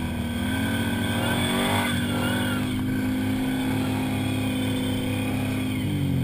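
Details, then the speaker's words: Can-Am Outlander ATV labouring in heavy muskeg with faint rising squeal or chirp as the stock BRP CVT belt slips under heavy load; CV Tech clutch with machined secondary, heavy-duty belt recommended. "So if you watch through the video here, you'll notice it squeal or chirp once in a while when I'm running in this heavy muskeg."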